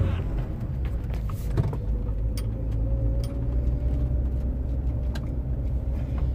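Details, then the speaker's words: Land Rover Freelander 1 driven on a bumpy road, sharp knocks over road rumble mainly from the left front when hitting bumps, indicating a worn anti-roll bar drop link. "now you normally hear the the drop links if you hit like uneven road surface that bump or open the curb"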